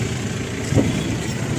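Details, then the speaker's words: Maruti Super Carry with company-fitted CNG, running on CNG after gas ECM repair that cleared P0300/P0301/P0303/P0304 misfires: steady, even low rumble, no stumbling or vibration, no more bogging. "तो दोस्तों आप देख सकते हैं अपनी गाड़ी CNG पर चल रही है और बिल्कुल गाड़ी टनाटन हो गई है"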